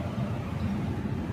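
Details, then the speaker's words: 2008 Maruti Swift diesel with a J10 ECU: flat, unchanging idle with no rise in revs even with the accelerator pressed fully; scan shows an accelerator pedal position sensor code, and the faulty ECM board needs servicing. "Complaint എന്ന് പറഞ്ഞാൽ accelerator ആവത്തില്ല. അതുണ്ടോ, full ചവിട്ടി പിടിക്കണം കേട്ടോ. Full press പിടിച്ചാലും accelerator ആവത്തില്ല."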